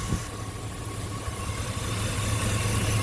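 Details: 2000 Chevy Suburban or pickup, 5.3L Vortec V8, codes P0304 and P0303, idles with an uneven, stumbling low beat; misfire from a ruptured fuel pressure regulator feeding raw fuel through its vacuum line, with fuel smell at the tailpipe.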